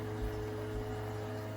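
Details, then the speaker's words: Toto toilet with Korky fill valve; steady, deep droning moan with held tones while the tank fills, valve resonating; fill valve groaning, fixed by greasing the valve with plumbing grease. "since the sound was a steady deep tone it seemed that something was probably resonating in the fuel valve as the tank was pulling up"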